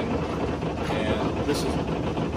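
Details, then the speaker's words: 2003 Hunter 306 sailboat engine in forward gear at about 1500 rpm: a steady diesel drone with dense buzzy chatter from loose lids rattling under engine vibration. This is not an ideal rpm; it runs happier near 2000 rpm. "that's 1500 rpms and right now so all the lids are rattling"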